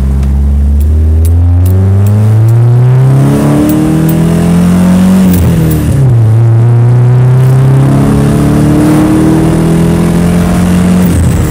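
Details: Nissan S13 engine revving up and down, beat uneven and stumbling through the sweeps; misfire, cause unknown.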